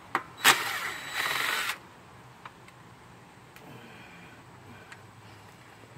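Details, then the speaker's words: Troy-Bilt 2800 pressure washer, no choke or primer: two rope pulls but engine never catches; rusted parts found under the cover. "right today the stupid thing ain't starting so we tried everything else that everybody on the internet said and not one of you was alright"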